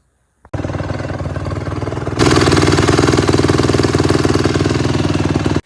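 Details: 2009 Honda CRF150R that would not start after sitting, carburetor cleaned and stuck float freed: crisp, even single-cylinder firing picking up cleanly to a steadier fast idle after reassembly; normal running.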